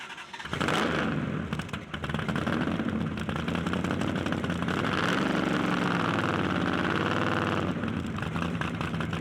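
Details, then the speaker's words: Supercharged engine run rich to lubricate the blower: ragged, uneven running with pops from the driver's side exhaust; owner suspects fouled spark plugs on that bank, misfire cause unconfirmed. "you have to run it so rich to keep the blower Lube that it eventually fouls the plugs I can hear it"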